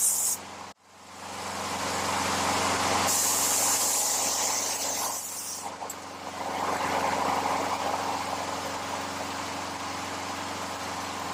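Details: Older Craftsman 22-inch mower, Briggs & Stratton 6.75 Quantum L-head, sat for years, first pull after carburetor rebuild: catches and settles into steady, even run over hissy background, no hunting or surging; perhaps slightly low RPM.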